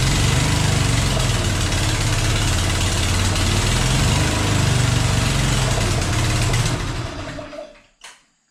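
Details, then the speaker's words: Small engine with no manual choke: runs at a steady fast chugging beat about four per second that never climbs, then dies away; won't rev up, owner suspects an automatic choke is preventing it. "okay it runs but it i think it's got an automatic choke on it and it sounds like spinning around this way sounds like that is what's preventing it from revving up"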